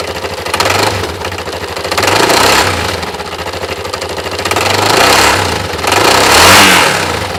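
Engine revs rise and fall with a fast, regular metallic knock riding over the exhaust note; the knock comes from the engine, cause unclear.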